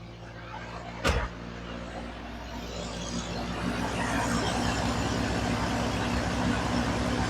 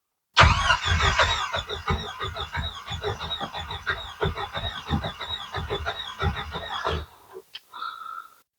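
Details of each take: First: YJ Wrangler 2.5L after a no-start was fixed by replacing a relay; catches after a crank and settles into a steady, even, loud idle that grows slightly louder as it warms, running smoothly with no misses. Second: Jeep YJ Wrangler 2.5L no-start: starter spins the engine with even compression pulses for about six seconds but it never fires; gauges light, compression sounds good; fault traced to a failed fuel pump relay.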